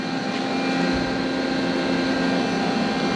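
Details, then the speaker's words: Used, bought-broken cheap CNC machine jogging after a cold start: smooth, even motor whir on the Y and X axes with steady tone and no grinding, showing a normal axis jog. "There it goes. It's moving. It sounds good too. Maybe I didn't completely blow my money. Let's see. The Y sounds good. The X sounds good."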